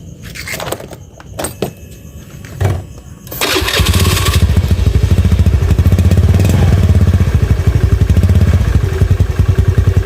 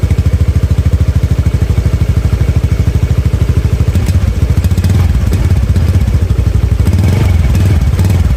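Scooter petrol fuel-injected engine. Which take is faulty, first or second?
first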